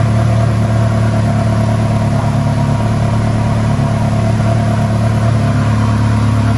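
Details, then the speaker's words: Ferrari 360 Challenge Stradale Spider V8, first fire-up after rebuild with new plenum gaskets and water leaks fixed: deep, steady, even idle with no knocks, misses or hissing, normal running. "well guys there you go another massive milestone in the stradali spider project it's running and it sounded absolutely epic"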